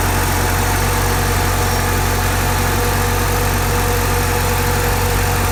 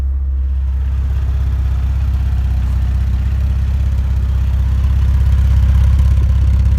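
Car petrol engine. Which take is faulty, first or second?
first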